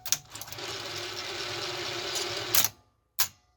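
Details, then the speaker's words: Zenith Video Director VR-8500PT top-loading Beta VCR after fitting a new, tight capstan belt: thin, hissy mechanical whir for about two seconds during tape loading, then clicks; a very loud transport bearing, left unoiled for fear of getting oil on belts or idlers. "great that bearing is like super loud in there but i don't know if i want to put anything in it for risk of getting oil or something on a belt or an idler but it works"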